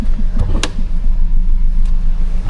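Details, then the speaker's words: Ford Escape with a little four-cylinder engine, HVAC blower set on speed four; low hum swelling and fading in a whoop-whoop rhythm as the fan winds down to virtually no airflow. "Fan is set on four and it's just slowly kind of winding down and I hear like aoo noise and now we have virtually no air flow."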